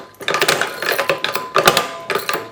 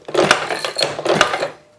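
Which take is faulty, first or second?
first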